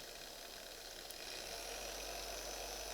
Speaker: so that's speed one and you can hear how smooth it is there's no chatter there's no gear noise